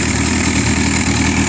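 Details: Yamaha R6 with a screw-type, spring-loaded automatic cam chain tensioner that can no longer keep the chain tight: busy, light, fast metallic chatter from the top end over an uneven idle; tensioner judged faulty, cam chain rattle.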